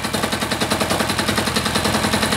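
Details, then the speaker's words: Freshly reassembled air-cooled diesel engine at a slow idle the owner estimates at about 500–600 rpm, slightly getting away; slow, even chugging at roughly eight pulses a second, steady with no misses. Normal slow idle. "even kind of getting away on me that's probably 5 600 RPM maybe there I don't know it's not Wicked uh Wicked slow I wouldn't want to go much slower"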